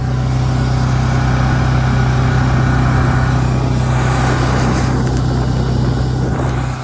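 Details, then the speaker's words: Firman T07571 tri-fuel generator running inside homemade soundproofed shed, phone placed in the box near the air intake: loud even drone and low hum with steady metallic rattle coming through the intake; ordinary generator noise, nothing faulty. "and also the intake there's a lot of a lot of metal rattling noise that comes through this intake here so if we go under there you can kind of hear it"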